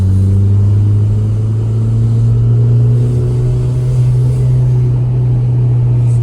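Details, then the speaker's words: Saab 900 (new generation) on a test drive after its dashboard rattle was fixed with super glue, motor mounts checked good: steady low engine and road drone with no buzzing or rattling from the dash or door; no interior rattle. "not making the noise. I'll call that a win."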